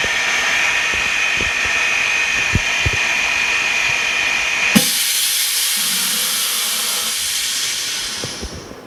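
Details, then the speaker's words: Bubble remover machine in an iPhone 6s cracked-glass replacement demo, after vacuum lamination finished: loud steady air hiss with a motor drone, then a sharp release and fading hiss; normal operation. "Okay, now you can hear that the vacuum lamination process, it is finished. And then we will need to wait like 4 minutes for the bubble removal."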